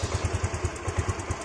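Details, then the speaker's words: Yamaha Mio Z scooter after soldered wiring repair cleared MIL code 37 (3 long, 7 short blinks): even putter of roughly six beats a second, steady with no stumbles or misses; clean, healthy idle. "Oke. Ini langsamnya udah bagus."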